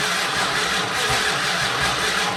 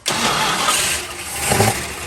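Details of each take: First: 1968 Dodge Monaco 500, rebuilt 440 Magnum V8 first-start attempt after 36 years, fuel supplied: long even cranking rhythm with hiss, no firing pulses; no spark from the ignition. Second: 1968 Dodge Monaco 500, rebuilt 440 Magnum V8 after 36 years, radiator filled: short crank, then catches and settles to steady, even run with no knocks or misses; healthy start.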